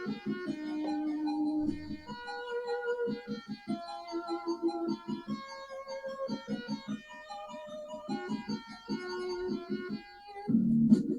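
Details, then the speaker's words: Commodore 64 (machine #2) after repair, SID sound chip tested via Easy Flash playing a test song: clean chiptune melody with crisp plucky notes and steady bass, no buzzing or dropouts; normal SID music playback, sounding pretty good. "sounding pretty good, so let's give that a little play."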